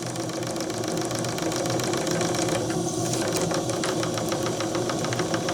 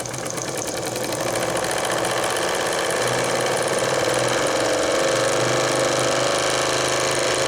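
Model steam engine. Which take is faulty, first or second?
first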